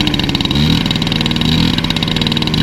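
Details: Peugeot 103 RCX LC liquid-cooled moped, first kick start with choke after an engine and carburetor overhaul: a rapid, even two-stroke buzz with a crisp exhaust crackle that holds steady, the engine running cleanly.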